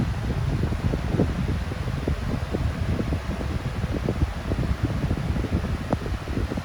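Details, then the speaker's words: Steady, even low rush of air with no ticking, rubbing or wobble from a no-name 14-inch high velocity fan running smoothly at high speed, full power, still running well after years. "Alright, let's take it up to high speed. Full power."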